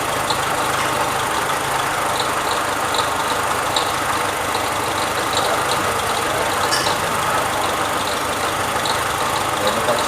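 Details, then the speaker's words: Renault Sandero with engine noise and fluctuating temperature gauge, at idle: light regular high slapping tick over engine hum, caused by a loose timing belt that was retensioned. "o painel mariano barulho no motor no caso é a correia dentada bamba"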